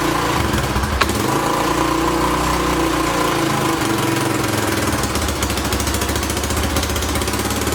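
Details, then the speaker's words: 2006 Honda TRX300EX four-wheeler after carburetor cleaning, fuel on: quick, even single-cylinder putter at a steady fast idle with no misfire or hunting; fired right up, though the float bowl gasket seems to leak. "uh not too shabby i mean she fired right up"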